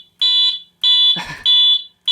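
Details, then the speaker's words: Alertek i8005 fire alarm panel under test: first stage garage zone triggered, module clicking, loud high-pitched beeps about every 0.6 seconds; panel went into a pre-signal alarm it should not have, still bug-fixing. "fire alarm first stage garage you hear the SN module clicking away in there pre- signal that should not have"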